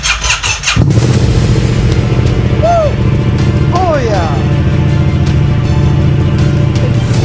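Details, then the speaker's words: Yamaha FZ-07 first start after full rebuild to the frame: a few clicks, then the twin catches at once and settles into a steady, even idle with no misses or knocks. "Man, there's nothing as good as that feeling when you finish a big project like this and it starts right up, first"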